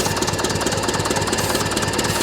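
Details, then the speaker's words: 1941 IH TD-14 dozer sat 25 years, fixed-throttle engine on ether with choke only: fast, rough, uneven firing that catches only briefly and won't sustain without starting fluid; owner suspects water in the air cleaner. "So, let's see what it does with ether and then assess from there. Come on. Go, baby. Go. Come on, baby. I bet you if I stop giving it ether though, it's going to quit."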